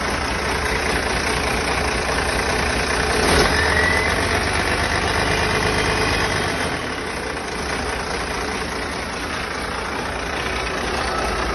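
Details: First start of a freshly rebuilt diesel engine, oil pressure holding: even, steady diesel chug at idle with no knocks, misses or bangs, rhythm settled throughout; idling healthily apart from a leaking injector pipe.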